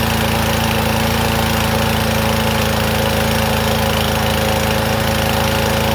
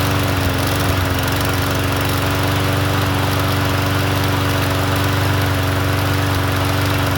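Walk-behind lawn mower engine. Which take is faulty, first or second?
first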